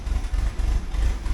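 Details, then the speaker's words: 1979 Porsche 924, K-Jetronic fuel injection, just started cold: low, lumpy idle surging and sagging a few times a second, running rough and very rich because the warm-up regulator misreads temperature; smooths out once warm; new WUR spring on hand. "brand new car, but you hear it running really rough, eh? And that's what I'm going to try and solve again, because I've got the spring for the warm-up regulator."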